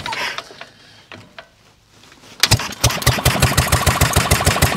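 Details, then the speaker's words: 1930s Dennis Z Type 30in lawn mower, barn-stored a couple of years, points and carburettor cleaned, hand-cranked: a few weak coughs and pops, then the old single catches with choke off and settles into a loud, fast popping warm-up run; normal start. "there she goes total choke off and now girl warm up wow what a noise that's a serious noise"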